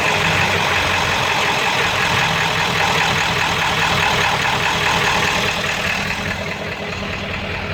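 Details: 7.3 diesel rough runner with no power, switched from high idle to street mode: hard uneven knocking beat that fades slightly as it settles, owner says sounds like rod knock; raw-diesel puffing smoke, EGTs good, cause unclear.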